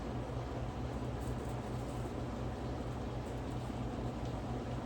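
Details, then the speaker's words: General Electric Standard fan, c.1927, after repair, on high speed drawing 1.85 A, 118 W, power factor 0.5: steady low hum with an even rush of air and no ticking or rubbing; normal running. "And yeah, she's whipping. This thing is strong. On high speed, it is drawing 1.85 amps, 118 watts, and half a power factor."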